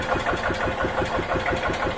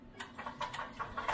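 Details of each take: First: 1986 EZ-Go Marathon golf cart with choke pulled but not returning: steady cranking chug about three beats a second that never catches, then stops; no start because fuel isn't getting into the carb. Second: 1986 EZ-Go Marathon golf cart after the carb was cleaned again and fuel squirted into it: sharp pops about five a second that quicken and build into a catching run; it starts and keeps running, though motor mounts are shot.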